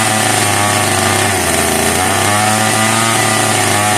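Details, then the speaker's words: Italian-made Castor 330 Antivib (rebranded Alpina) chainsaw, bottle-fed: small two-stroke held at a steady, crisp high buzz with no stumbling, sounding healthy, but it won't run on its own fuel supply; fuel delivery issue to be sorted out. "I think we can safely say that it will not run on its own fuel supply. But it sounds like a happy, healthy little saw once we get the fuel delivery issue sorted out."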